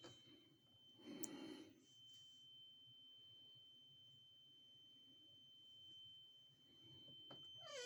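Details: Carbon monoxide alarm sounding at 01:45 as a constant high-pitched tone heard from the back hallway; it was later found to be a small cellphone-sized box on the floor. Faint, steady tone under pet noises.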